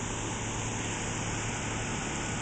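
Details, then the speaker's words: Four-year-old Ruud heat pump outdoor unit, said to be much quieter than a Goodman: steady even fan rush with a low hum underneath and no rattles or knocks; running quietly and healthy. "even a high end unit still make difference between sound of something like this and a Goodman desert series heat pump night and day"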